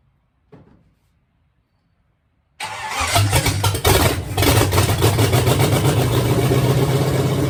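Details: Bone-stock Chevy 305 V8, leftover engine for a 53/54 Dodge tow truck, first start after hookup: quick crank, catches at once and settles into a steady even idle with all eight cylinders firing smoothly; healthy.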